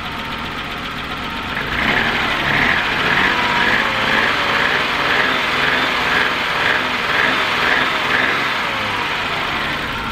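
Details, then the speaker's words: BMW E30 with M20 inline-six, first start after sitting over five years, warming up: smooth idle with light regular puffing tick about twice a second; owner suspects a minor exhaust leak. "sounds like it might have a bit of an exhaust leak but nothing major"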